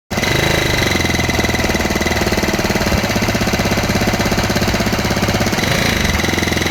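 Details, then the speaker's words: SYM Super G125 scooter just after an engine rebuild, first test run: fast clatter over the running engine that is not steady and changes with revs; owner checked oil circulation, source unknown; abnormal engine noise varying with revs. "sa aking observation, hindi steady yung ingay. Magbabase siya sa pag-rev ko."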